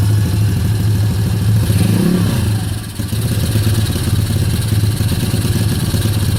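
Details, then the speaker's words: Kayo YX140E Klassic single-cylinder engine, throttle fixed in one position, revs dancing from about 2,500 to nearly 1,500: revs swell and sag with a stumble near the third second; hunting rpm and misfiring, cause unknown. "Ручка газа открыта в одном положении. Обороты пляшут от 2,5 до почти 1500."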